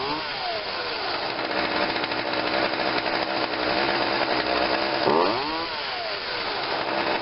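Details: Craftsman 16-inch chainsaw made by Poulan, after coil cleaning and adjustment and carburetor cleaning and adjustment, cold start after priming three times and choke: crisp steady two-stroke buzz picking up cleanly on a blip; runs normally.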